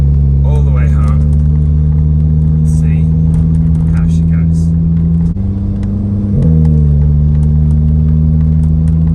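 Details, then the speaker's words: 2006 VW Golf GTI after replacing coil packs to cure a bad misfire with a flashing check engine light, driving up a long hill: steady, even engine drone with no stumble or skip, running clean under load. "all right so I've driven a little bit no issues so far big old Hill near where we live so I'm at the bottom of it now we're gonna head up right now"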